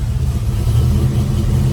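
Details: 1971 Chevrolet Nova, rebuilt 454 big-block V8 bored .030 over, Edelbrock intake and headers, AVS 750 carburetor, MSD, new dual exhaust, TH350 automatic: fuel pump heard at startup, then a deep, even rumble with slight rev swells, no knocks, ticks or misses. Normal running.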